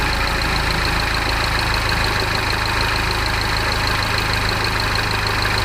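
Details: Peugeot RCZ THP 200 petrol engine at cold start idles with a steady, busy metallic rattle over a low hum. The cause is still unidentified, though the tensioner, timing chain, sprockets and guides were already replaced.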